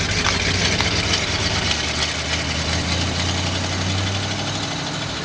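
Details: Driver's-side exhaust Y-pipe hit a curb while reversing: the engine note is loud and raspy with fast, uneven puffing chuffs, indicating an exhaust leak ahead of the muffler.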